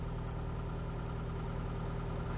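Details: 1992 Oltcit petrol engine after carburettor work: steady even idle with smooth low hum, no knocks or misses, ticking over healthily while wipers are tested.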